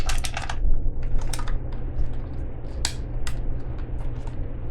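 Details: Hand-crank, solar-panel emergency flashlight unit from a subscription box, shaken: irregular light clicks and taps like a small loose piece; something adrift inside the housing, cause unknown.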